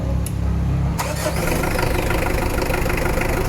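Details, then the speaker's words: Mitsubishi Adventure with hard starting despite a 2-week-old battery and a cleaned starter and ground. The engine catches after a cranking burst and runs unevenly; charging is present but rises slowly. Hard start traced to weak charging from a worn alternator carbon brush. "kumakarga kumakarga pero mabagal yung response niya"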